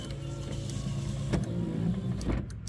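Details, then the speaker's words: OBS Ford F-150 passenger-side power window: low motor drone with clicks while switch held, glass doesn't move; motor draws power so switch isn't dead, owner suspects broken wire in door. "so there's a power draw somewhere um that's actually a good thing for me because it is pretty common obviously but if this wasn't drawing power at all and this was a dead switch it wouldn't draw power that way"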